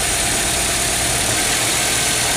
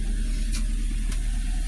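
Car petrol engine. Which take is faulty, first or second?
second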